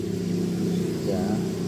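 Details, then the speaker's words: Honda Revo motorcycle after fixing a jumped cam chain that caused sudden compression loss, valve settings unchanged: even, smooth single-cylinder idle with steady low pulses and no chain rattle or ticking; engine healthy. "Bisa didengar ee suaranya halus ya. Suaranya halus."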